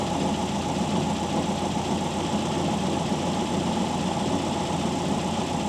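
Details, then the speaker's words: WWII Volkswagen Schwimmwagen air-cooled engine during idle mixture adjustment after carburettor cleaning and fuel filter change, screw turned in until struggling then out until smooth: even steady idle, no stumble or hunting; normal idle. "so you screw it in until the engine really starts to struggle too far okay so it's starting the struggle and then adjust it out till it Smooths"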